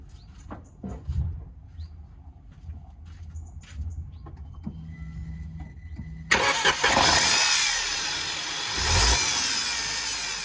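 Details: 2013 Peugeot 208 1.2 VTi with auxiliary belt fitted: quiet at first, then loud rushing noise with faint rising whine as engine speed increases; belt-drive-related noise, cause unclear.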